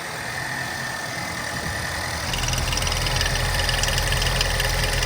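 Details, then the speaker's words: Idling 2015 Lincoln MKC 2.0L EcoBoost engine, with known damage, gets louder and chuffs rhythmically three to four puffs a second, slight valvetrain rattle; vapor and oil splatter coming up, also at the dipstick: heavy crankcase blow-by. "Do you see that? All that vapor coming up. Do you see the splatter of all this oil? Same thing when I take the dipstick out. Do you see all that? Watch my finger. Look at that. That, my friend, is called blowby."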